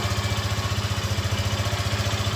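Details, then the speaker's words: Yamaha FZ15 motorcycle, first start of the morning with the engine fully cold, idling: even single-cylinder thump about ten beats a second, smooth with no chain rattle or ticking; presented as the normal engine sound. "Esse barulho aí, ela tá com o motor frio, frio, frio. Deixa 30 segundos com esse barulho aí."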